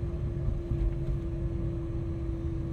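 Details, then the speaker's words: Great Wall Florid 1.5 VVT revving in place with a steady whine over the rumble that grows with engine speed. Some blamed the pump; the gearbox running low on oil is suspected, unconfirmed. "عندنا اليوم في الوليد السيد هذا راه يشتكي من الحس هذا يزيد كل ما طاكسي ديالي يزيد."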